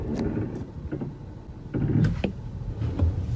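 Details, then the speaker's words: 2022 Acura MDX A-Spec at low mileage: sharp dry clicks, about two or three a second and uneven, over a low rumble while creeping forward in drive at full right lock; none in reverse; drivetrain clunk, source unconfirmed. "so the one i want to bring to light is the clunking or clicking sound while turning the steering wheel"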